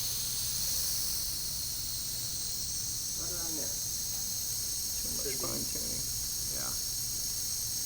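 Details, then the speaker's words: Foxboro Model 13A pneumatic DP transmitter during span calibration, 34 inH2O applied, output near 15 psi: continuous fine high hiss with faint hum from relay air bleeding out of flapper assembly; normal. "and of course you can hear the hissing in the relay the air bleeding path the air out of the flapping off assembly right"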